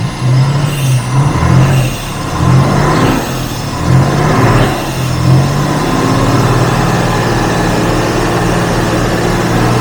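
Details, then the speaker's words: 1967 Jaguar Mark 2 3.4 automatic, in park, just started after repairs and slightly flooded from carb cleaner: low steady burble with a few early throttle blips, settling to an even smooth idle while warming up before coming off choke; normal warm-up idle. "Alright, good. Let it warm up for a little bit and see how it runs off choke."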